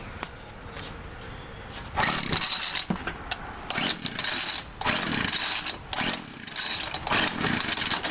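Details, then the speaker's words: Homelite two-stroke weed trimmer, over 10 years old, that would not start; after replacing the old spark plug it catches after about seven pulls and buzzes high and raspy in throttle surges: normal running, fixed by new spark plug. "there you go see now we know it works no down here not now we know it works and all you had to do was just replace the spark plock and now I solve my problem"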